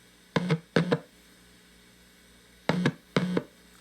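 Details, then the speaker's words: Fender Blues Deluxe hybrid tube amp: four clean plucked notes over a quiet background with only a faint steady hum between them. Normal low noise floor. "is so much cleaner all I did was past the box"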